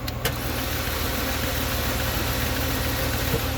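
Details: Chevy Cruze that won't start, plugs checked good, compression test underway (low compression suspected, cylinder 2 checked): steady starter cranking about three and a half beats per second with no catch or firing; cranks but no start.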